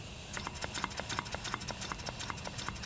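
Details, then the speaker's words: Miniature brass steam engine run slowly: crisp, evenly spaced exhaust puffs about three per second like a choo-choo train, no knocking; good running motor, normal exhaust chuff. "yeah I wish you could hear the exhaust sounds like choo choo train"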